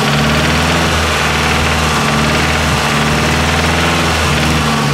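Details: Nissan S13 with CA18DET engine at steady idle: repeating knock under the exhaust beat at engine speed; owner unsure whether the crank needs grinding, cause not confirmed.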